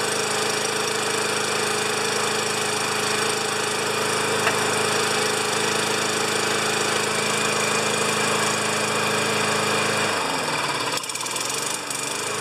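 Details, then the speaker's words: 29-year-old Rally electric-start mower, little gas added to tank, pumped a few times: loud but steady single-cylinder chatter at even, fast beat with no misses, cutting out near the end; running normally though not quiet. "it's not a quiet more but it's all here Mrs P would love it except it weighs two tons"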